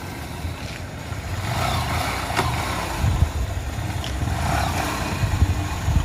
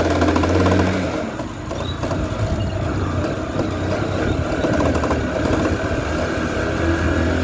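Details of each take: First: Honda Shine motorcycle after chain service and an oil change (the oil was very black): the engine runs and pulls evenly with no chain rattle or slapping. The earlier chain noise is gone and pickup is strong: a normal chain drive. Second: Honda Shine motorcycle on a test ride at speed: a steady engine drone with a loose, uneven clatter beneath it that becomes a "kata kata" knock when slowing, and the bike won't pull at low speed; worn chain and sprockets.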